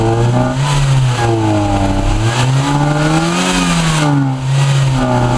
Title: Orion Zetec misfire